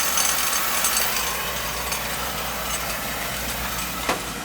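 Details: Beckett oil burner, two-pipe system, annual service, outside Roth tank low on oil, with a little air in the line; steady even roar with airy hiss, no pulsing or rumble; burner firing smoothly, though a possible oil issue is suspected.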